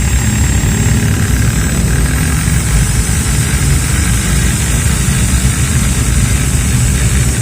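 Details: Maktec MT60 drill running free: high motor whine over rough crackling rattle from the front gears, both rotation directions; chipped or damaged gear teeth.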